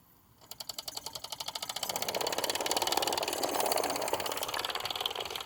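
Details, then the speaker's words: Mamod TE1 steam engine under restoration: chuffing stops, then restarts and quickens to a fast, fairly even beat as it stalls and picks up again. Owner suspects newer drive bands fit the older engine poorly. "and away she goes again that's the problem i'm having with the drive bands"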